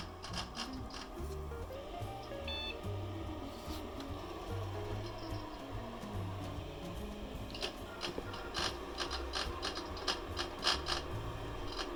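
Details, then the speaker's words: Unisys Aquanta CP PC booting after several Windows XP install attempts: irregular clicking and scraping ticks over a low hum as the hard drive spins up; drive doesn't read well, failing and needs replacing. "oh my goodness that is bad so if you hadn't guessed that's the hard drive making that sound and it's actually a it's not working it doesn't read well so it needs to get replaced"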